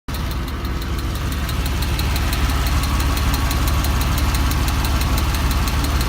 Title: Ticking sound at Rickover